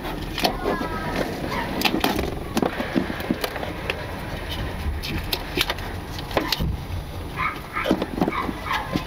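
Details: 2018 Nissan Leaf, lapel mic taped to front member under bonnet while driving: irregular sharp knocks and clunks over road rumble; new front-end knocking fault, source unconfirmed.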